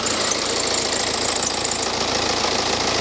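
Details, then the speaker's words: Cheap written-off BMW idling after WD-40 was sprayed on the drive belt, where the water pump had been suspected: an even idle with a busy hiss and no steady squeal; the squeak was from the belt. "spraying WD-40 on that belt. So it's got to be a problem. It's got to be the belt that's squeaky then."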